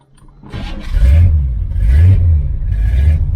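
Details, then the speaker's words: 1977 Chevrolet Malibu Classic V8 after fitting new headers, an X-pipe race dual exhaust, one-chamber mufflers, new spark plugs and thick wires: deep burbling blipped through three clean, even rev rises with a throaty exhaust, no misses or knocks. Healthy. "so it doesn't sound as loud in the car sounds like loud like that but it's not as loud giving it some gas"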